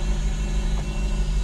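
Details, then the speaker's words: Freshly rebuilt engine after an injector refit, idling for a few seconds. A smooth, even low rumble with no misfire; the fan belt needs tightening. Exhaust temperatures felt by hand afterward were even, so it is running normally. "So they're all running evenly, so I just do it by hand and just feel what it feels like."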